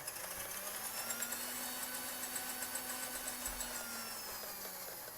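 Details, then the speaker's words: Restored electric vehicle on a relatively fully charged battery running smoothly: even, steady electric whine with light gear buzz, no clatter; all transmission components working, gear mesh holding up, no smoke from motor; healthy running. "it's running pretty smooth. All the transmission components are working. There's no smoke coming from the motor or anywhere there shouldn't be smoke coming from."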